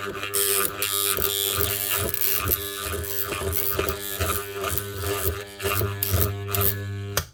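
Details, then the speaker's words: Bosch GWS 9-115S 115 mm 110 V angle grinder, burnt-out armature on a growler test at 60 Hz: a steady mains-rate buzz with uneven chattering rattle from the test blade, showing the armature windings shorted together almost throughout. "So that's actually switch on this magnet and the armature on and off 60 times a second and make a vibrating noise on this plate."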